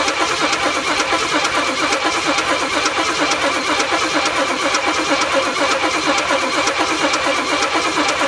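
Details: M715 military truck after about six or seven years unused, old plugs, extra fuel filters: catches and settles into a fairly steady mid-pitched run with even pulse and no knocking.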